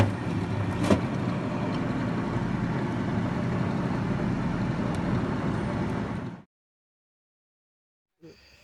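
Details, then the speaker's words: Refrigerator fan motor after the fridge sat unplugged a long time: coarse rumbling buzz with quick flutter at startup, bearings dry from lost lubrication. "cuando prende la nevera el motor ventilador atiende a tener ese ruido ese ruido porque porque al no tener lubricación"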